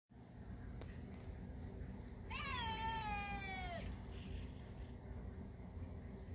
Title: Bad Radiator Cap Sounds Like A Rubber Chicken